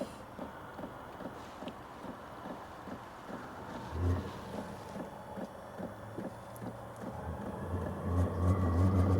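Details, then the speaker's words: Sunster TB10 Pro toolbox diesel heater a few minutes into startup: rapid regular fuel pump ticking, then a low engine-like rumble building as the burner lights and outlet fan speeds up; normal startup. "And this thing is making noises I've never heard before. It sounds like an engine starting up. The outlet fan is starting to increase."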